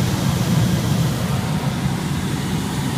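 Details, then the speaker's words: Honda EU3000i inverter generator running a 12 amp medium load: smooth, steady, extremely quiet low drone holding constant speed with no surging, knocking or hunting, quieter than a Yamaha; normal running under load. "lower motor for a jumper volatility you know medium load for it nothing not a whole lot extremely quiet i can barely hear the generator on this the fan it's a lot quieter compared to the yamaha"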